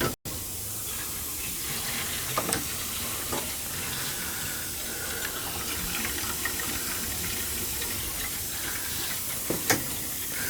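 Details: Gas boiler hydronic system with no heat to second floor, second-floor zone purged through hose into a pit with the zone valve head bypassed: rushing water broken by irregular spits and gurgles as trapped air blows out; zone air-bound.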